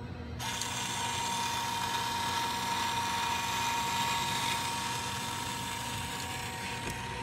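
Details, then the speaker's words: School bus stop arm motor runs with a steady high whine and fast ratcheting buzz, about four clicks a second, but the arm does not move; bevel gears in the gearbox suspected shattered or teeth broken, not confirmed. "motor is actually turning. I believe that the gears, the little bevel gears inside the gearbox, completely shattered, or teeth are broken or something like that."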